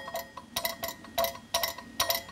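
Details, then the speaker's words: Bosch K-Jetronic air metering unit, air plate not yet centered: light metallic taps in clusters as plate bounces on spring but still catches the venturi body, sound changed; plate needs centering. "You can hear that bouncing on the spring, but it's still catching the body. And notice the sound changed."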